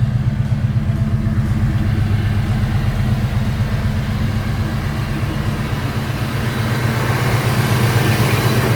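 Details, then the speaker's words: 1990 GMC Jimmy 4x4, rebuilt 5.7 EFI V8, about 45,000 mi since build, dual exhaust with mellow mufflers and dual cats: deep, smooth, quiet burble at idle, even beat around four per second, no ticks or rasp, no smoke; normal idle exhaust note. "Not loud, nice and mellow. It's got a set of, pretty mellow mufflers on it, so you can hear it. No smoke, nothing strange."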